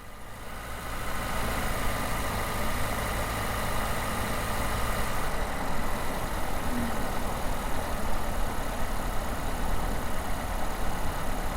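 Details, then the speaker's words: Toyota hybrid with a 2.5L engine, recorder in the engine compartment, driving: engine hum rises under road and tire noise, and its tone shifts as the generator resists it and it engages mechanically with the wheels; normal engine load-up. "And so if you pay close attention, you can kind of hear the tone of the engine change as the generator starts resisting its forward movement. I would almost describe it as saying, you can kind of hear the engine engage mechanically with the wheels."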